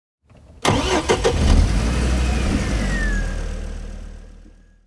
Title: Car Cranks - Won't Start